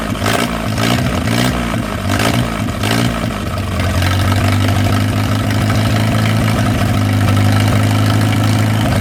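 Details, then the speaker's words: Old flathead 4-cylinder (1937 Willys) generator engine, sat covered outdoors 15–25 years, fires up quickly after fouled spark plugs were pulled; uneven stumbling pulses at first, then settles into a steady, even low beat. Normal running. "Well, that is just fantastical right there. Y'all watch how quick this thing fires up. I'm just amazed."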